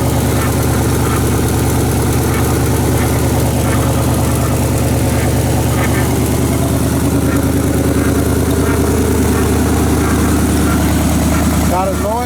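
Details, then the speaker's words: 1978 Chevy Silverado 20 pickup warming at idle after first start; extra rhythmic whirring chatter about three per second over the rumble from the front accessories; owner suspects water pump or AC compressor, not confirmed. "coming from there sounds like it's uh sounds like it's coming from the water pump or the AC compressor don't know what that is yet but we'll figure it out"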